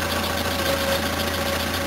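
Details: Van that stalled and flooded with fuel in the oil: a steady, even idle with no stumbling or hunting. It came good after the crankcase breather was disconnected to vent fuel vapor that had thrown off the mixture.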